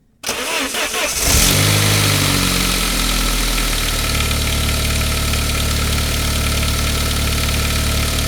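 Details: 1999 Saab 9-3 turbo, 110,000 miles, cold start just after the engine catches. A light metallic rattle over the idle from the valve-cover-mounted upper chain guide, hardened and shrunk in its bracket; it quiets when warm, and replacing the guide cured it.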